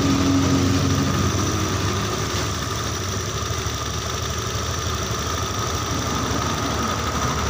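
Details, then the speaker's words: Honda Beat injection after engine overhaul (bored to oversize 50), idle adjusted by screw at about 2 turns out: steady, even low idle with soft regular putter, settling lower without hunting; normal idle. "Nah, ini udah lebih turun ya. Ini udah lebih turun ya teman-teman, ini sekitar di 2 putaran."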